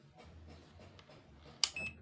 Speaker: Jadi kalau dipencet itu bunyi ini auto ya.